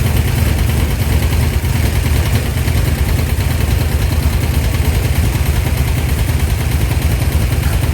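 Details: 1972 Dodge D100 with a new solid roller cam and Speedmaster heads, running: loud, uneven, lumpy idle with popping; the owner says something sounds funny, and the valve covers were rubbing the rockers.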